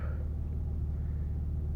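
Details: 2004 Infiniti G35 idling with a low, steady rumble and even pulse, no tapping or stumbling, after replacing the faulty bank 1 camshaft sensor that caused a crank-then-die no-start (codes P0430, P0335, P0345); possibly flooded from repeated cranking, smoky first start.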